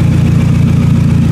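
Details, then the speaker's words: 2000 Toyota Camry four-cylinder after replacing a failed ignition coil: loud, raw, throaty rumble with blunt pulses when revving; exhaust leak from a totally rotted-out flex pipe. "Like I was saying, it's loud. The exhaust needs to be fixed because that flex pipe is totally rotted out."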